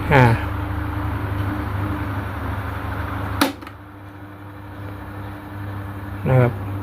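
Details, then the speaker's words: Sharp electric fan on speed 1 after disassembly and reassembly: steady low even hum with only brief handling clicks; earlier knocking "kung-kung" noise when tapped is gone, possibly from factory error or a drop during moving. "ผมเปิดเบอร์1นะอ่าเงียบแล้วนะครับ"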